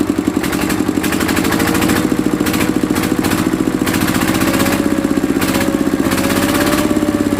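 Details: Mitsubishi D-series single-cylinder diesel after repair of fuel leaking into the oil sump and white smoke (pump plunger, valve and seal replaced): even, steady thumping with a firm knock each firing stroke, no misses; running properly.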